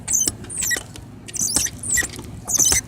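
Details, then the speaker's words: Grandpa's old ride-on car being ridden: sharp squeaks in bursts about every half second from parts not oiled since 2006. "Although you might hear that squeaking, you probably do. That is because it hasn't been oiled in since 2006, actually."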